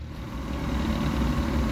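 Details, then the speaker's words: RV Atwood furnace after replacing the circuit board with a Dinosaur Electronics board, fixing a failure to light: a steady low blower hum and smooth whoosh with no rubbing or clicking. It is producing heat at the exhaust port. "all right you can hear it happily humming away moving my hand near the exhaust port says we've definitely got to heat"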